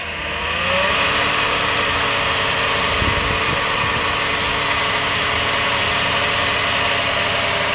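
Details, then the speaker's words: 2009 Toyota Sienna, microphone underneath near flex plate: steady metallic buzzing rattle from transmission end around 1,000 RPM and on light acceleration; owner suspects flex plate, torque converter or pump; source not yet found; transmission area rattle. "uh flex plate between the engine and the transmission because there's a rattling noise when the car is on 1,00 RPM or so. Every time I accelerate a little bit, there's a kind of rattling noise."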